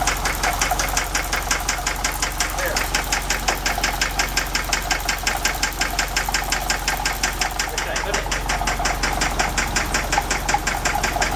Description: We encountered some engine knock is it the lifters? The rod?